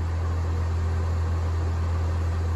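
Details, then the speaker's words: Denbig portable air conditioner on a power station, switched from medium to high fan, drawing about 110–127 W (owner recalls a 240 W rating) and blowing 61–64°F air: a steady, even hum and airflow rush with no rattles. Normal running. "Now, I'm pretty sure it said 240 watts on this thing. And you can hear that. The fan's on high."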